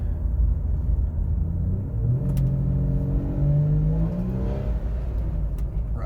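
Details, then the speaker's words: 2004 GMC Envoy XUV with 4L60E automatic, AC off, on a back road; revs flare under throttle without pulling, won't grab a gear and jumps around at low speed; slipping suspected from transmission solenoid failure. "So it just does that. If I put my foot down at all, it won't grab a gear. It just revs out. Now if you go slow, it doesn't even know what to do with itself. It just starts jumping all over the place."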